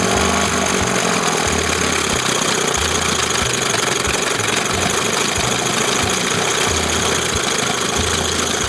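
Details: 1971 Johnson 20 hp two-stroke outboard after carb swap, reassembled with roller checked in start position: loud, crisp buzz at steady speed with even pulse; running cleanly and smoothly.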